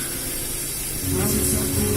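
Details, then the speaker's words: Car MP3 player FM transmitter set to 102.7 FM, the same frequency as a Makassar radio station, playing through the car radio: constant hiss and crackle burying the music, signals clashing, FM transmitter interference. "Tapi bunyinya bentrokan dengan sinyal radio, frekuensi radio. Akhirnya bunyinya kresek-kresek begini, nggak bagus."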